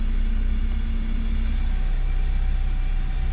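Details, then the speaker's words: GT Turbo kei van, automatic with turbo timer, just started on the first crank: low, smooth, even idle rumble with no knocks, misses or whine as it settles; normal idle. "but let's see if it starts up oo right up first crank"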